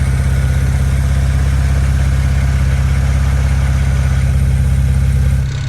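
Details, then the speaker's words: Built BMW 335i N54 turbo engine at idle while hunting a suspected turbo exhaust leak, checked with a stethoscope at the exhaust: steady even thumps about three per second, judged to be normal exhaust pulses. "i can hear that it's in the exhaust and i think it's just exhaust pulses and i think i'm just overthinking it and never really paid any attention to them before"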